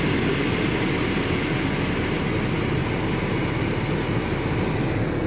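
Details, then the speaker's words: 2011 Mini Cooper blower motor after a quick-fix repair, running through upper vents, defrost and floor settings with engine on: steady even airflow with a low hum, no ticking, squeal or rubbing, normal blower operation. "okay it's blowing up the uppers and now let's turn it up to the defrost hand-blown defrost and now we'll put it to the floor"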